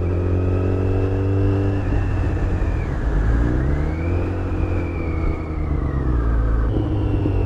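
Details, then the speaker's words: 2008 Yamaha FZ1 ridden cold, when the noise is worse: thin whine rising and falling with road speed over the engine note, stronger under load and reportedly worse when engine braking; source unconfirmed, perhaps clutch-related. "I have noticed prior to riding this bike that uh when Engine braking under load the noise is worse"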